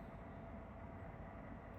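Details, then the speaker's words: Pluggit AP310 house ventilation unit droning loudly, about 70 dB by watch, with rough low rumble and faint hum from a worn motor bearing (608-2Z/C3), replaced as the fix. "As you maybe can hear this one, my ventilation system starting to become very noisy."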